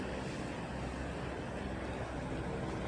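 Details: Stand electric fan running normally at speed one after a new 1.5 µF 450 V starting capacitor replaced the failed one that kept it from starting: a steady, soft rush of air with a low hum, even throughout.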